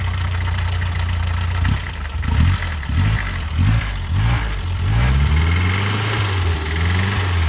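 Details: Fiat 600 with new starter, just started, oil light off and charging: small engine idling with uneven surging and a light quacky tick; valve clearances wanted adjusting.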